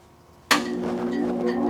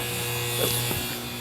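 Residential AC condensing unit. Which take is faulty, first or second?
second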